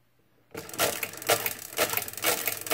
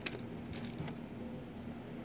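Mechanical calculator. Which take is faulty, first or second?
first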